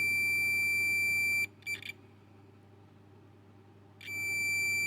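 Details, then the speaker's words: Onkyo SR576 HDMI board, multimeter continuity test on capacitors C201 and C221 on the DSP side: solid beep, pause, beep again, showing a short; either the DSP or a 100 nF capacitor is shorted. "this is the c201 here and c221 this two capacitor here going to check that for short see as you can hear it it's beeping it's mean there there is a short"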